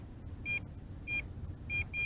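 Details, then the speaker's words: MJX Bugs 3 Pro GPS drone at about 1 km: the transmitter gives short high-pitched beeps, five in two seconds, over a low rumble as the default range failsafe return-to-home brings it back. "kilometer no problem and it is making its way back sideways and as you can hear the remote control is going nuts"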